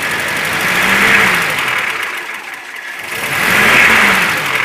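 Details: ZMZ 402 engine, cold, idling at about 550–600 rpm with oil pressure around 3.5, then throttle blips: a light, quick metallic knock sharpens with revs, caused by piston pin-to-connecting rod play in all four cylinders.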